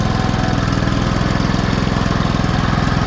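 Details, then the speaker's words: Warm cast-iron Kohler K-series single-cylinder engine after closing the ignition points gap from 0.020 to 0.012 in to retard timing: steady, even low thump with no knock anymore; normal running, knock fixed. "not knocking anymore."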